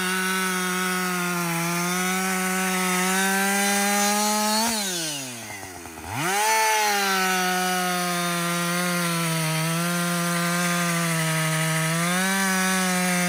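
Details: Husqvarna 562XP 60cc chainsaw, after a dealer reflash of its software for dying when hot and stumbling, bucking windfall: high buzzing note bogs into the wood, recovers cleanly to full revs; pulling strongly, normal under load.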